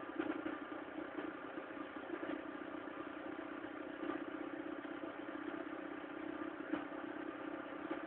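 Cold idle with a thin, clattery tone and faint irregular ticks riding over it; something is off, but the cause isn't clear.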